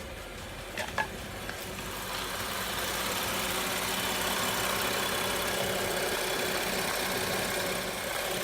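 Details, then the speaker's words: BMW N55 engine at idle after spark plug change, no trouble codes: steady, even idle with a smooth fast patter and no knocking, ticking or tapping; repair successful. "engine's running perfectly fine, nice and quiet. No knocking or anything, ticking, tapping. So we are successful."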